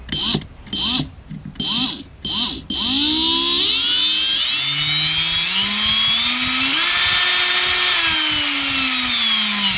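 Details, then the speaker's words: Parkside cordless drill after repair: a few short bursts, then a clean motor whine shifting pitch in discrete steps with the trigger (cheap speed control, not a smooth potentiometer); no smoke, runs normally, fixed. "sounds like we fixed it"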